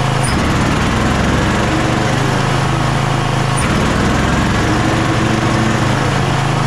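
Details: Kohler KT745 engine on a zero-turn mower, after about 20 minutes running, bogs under load with a heavy labouring drone, dull uneven beat and occasional stumble; fuel flow and clear ethanol-free fuel ruled out, failing ignition coil found.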